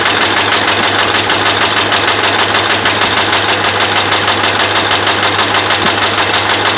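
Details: Dodge Ram 5.7 Hemi petrol V8 running loud, with a sharp, steady metallic knock about twice a second; the connecting rod and crankshaft bearings are bad.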